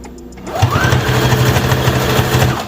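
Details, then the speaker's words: New CS6000i sewing machine at its highest speed setting. A fast, even needle chatter with no knocks or binding: normal high-speed operation. "Now that's nice. Okay, that's going to make sewing a lot of things go a lot quicker."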